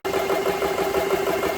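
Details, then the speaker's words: GX CS3 compressor after fixing a loose connection in a failing switch that made it draw amps unevenly: steady rapid pumping hum, firm mid-pitched drone, even pulses, no knocking or straining; normal running. "that's working real good i don't hear the compressor was going up and down you could hear it drawing drawn amps and stuff and that loose connection"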